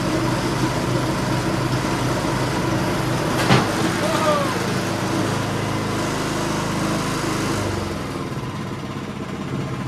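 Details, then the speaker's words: Ariens two-stage snow thrower model 11528, salvage-yard find that sat for years, first start on choke at full RPM after turning fuel on and priming twice; small engine holds a steady, even putter with one brief clunk; runs healthy, normal running. "as you guys can see, our nice snowblower that we had picked up out of the mower salvage yard is alive."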